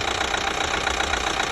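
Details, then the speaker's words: 2012 Chevy Equinox 2.4L at warm idle after a new timing chain; quiet when cold, noisy once warming: loud, fast, steady metallic knock, as if the new chain is slapping something; hard internal knock, cause unknown. "that's a real bad lock man you know it sounds like the like the chain is wrapping on something but it's new"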